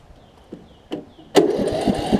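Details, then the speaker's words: Troy-Bilt mower single-cylinder engine, starter freed after sticking, probably from sitting over winter: a couple of pulls, then catches and settles into a steady, even putter; starts fine. "i freed the starter up and it starts"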